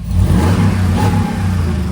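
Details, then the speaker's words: Older Ford Expedition King Ranch that sat a long time, just started after PCM work: engine revs up cleanly with a smooth, even low roar and settles back without misses or knocks; normal revving. "There we go, truck runs. It's awesome. All right, well, truck is running, and that's a plus. Rev it up here."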